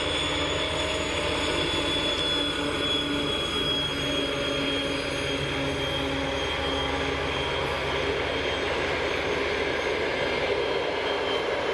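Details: TEP70-0356 diesel passenger locomotive after a medium overhaul at Voronezh TRZ in November 2022, hauling a passenger train: a steady, high, clean whistle over rail and running noise. Normal, healthy turbocharger whistle.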